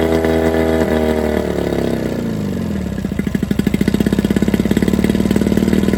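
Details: 1987 Johnson 9.9 long-shaft outboard, cold start on muffs with choke pulled and primer squeezed: revs high, then settles into crisp, even two-stroke popping idle with steady firing; healthy.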